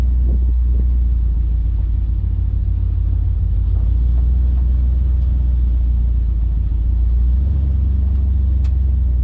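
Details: 1956 Dodge driving before sound deadening, with the camera inside the cabin; a heavy, low, rhythmless boomy drone fills the cabin and drowns out voices. Body resonance is suspected but not confirmed.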